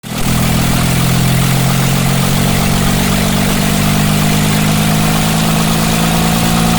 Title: BS6 MISFIRE ENGINE #automobile